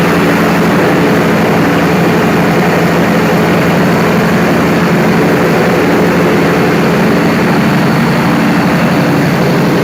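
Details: Perkins 4012 diesel after general overhaul, pre-lubricated before start, during load testing; deep steady drone with even firing and no knocks or surges, running smoothly under load.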